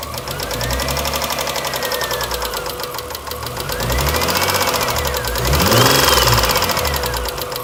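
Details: 2003 Eclipse 3.0: sharp, steady knocking at about four per second over the running engine, swelling as revs rise; owner suspects rod knock, cause unconfirmed.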